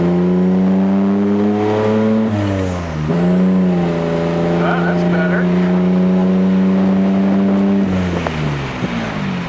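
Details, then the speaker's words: Mazda MX-6 V6 turbo on a first drive after troubleshooting. Revs rise and fall with fluttering turbo chatter on lift-off; the blow-off valve stays shut, causing compressor surge. Exhaust bends are suspected of being overloaded by sitting so close to the turbo. "yeah that blow fell still not opening though i can hear the flutter white bends being overloaded by it being so close to the turbo"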